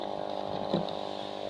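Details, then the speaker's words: Marina 200 aquarium air pump after a noise fix (gaps sealed with super glue, cardboard cushioning against vibration, screwed down): soft steady low buzz, barely audible, no rattle. Normal quiet running. "and it is screw down totally the sounding is totally different Carefully now you realize that you can hardly hear anything in the pump itself"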